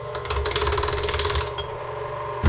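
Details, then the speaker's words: KitchenAid Artisan mixer attachment drive with a meat grinder fitted: under any load a rapid, ragged clatter of teeth slipping, then it settles. The mixing gear still works; stripped attachment drive gears skipping. "and when you turn it on you put any kind of pressure on it the gears inside here just they're not working right so the gears are definitely busted"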